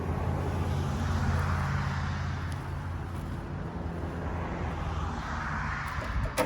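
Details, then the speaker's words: Countyline 25-ton log splitter engine after carb cleaning and tank cleaning: runs unevenly, low wavering beat sagging and bogging under splitting load until stalling; owner suspects fuel delivery or carburetor, cause unconfirmed. "so underload it just won't stay running you can see it's stalling out got to be carburetor but everything looks great in the carburetor I it just sounds like it's not keeping the fuel flowing and I don't know what that would be"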